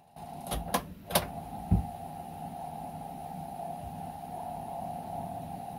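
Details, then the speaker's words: Amstrad CPC464 tape deck, microphone beside the computer, belts replaced and mechanism lubricated: steady loading tone near 700 Hz wavering in pitch after clicks; owner suspects worn idler tyre, possibly main drive clutch pulley. "so you can hear it can't you you can hear it going wobbling on the sound so like I said I believe there is the idler pulley"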